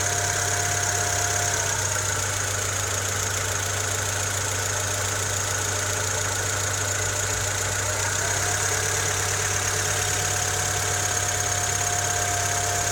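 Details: Honda Civic EK3 with D15Z6 engine at idle: light, fairly uneven tapping under the engine about three taps a second; engine knock of unknown origin.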